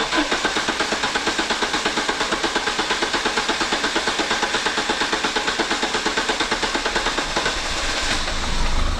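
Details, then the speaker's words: Renault Clio 182 Cup being cranked while upper cylinder head cleaner is sprayed into the idle air control circuit: starter churning steadily about three beats a second, engine turning over but not firing; cranks but will not start. "Okay, so what I did then, Mark, is while you were cranking and it wasn't firing, it enabled me to spray it around and it'll suck it through the idle air control circuit, which is the primary circuit you want to get clean."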